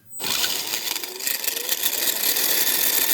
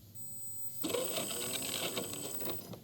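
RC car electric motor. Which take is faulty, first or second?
first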